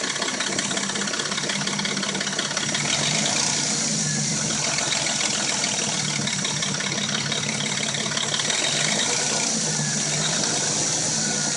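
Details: Dodge Intrepid at warm idle: a busy, light metallic clatter over an even hum; the rattle and a knock occur only when warm and it sounds new when cold; timing chain suspected, not confirmed.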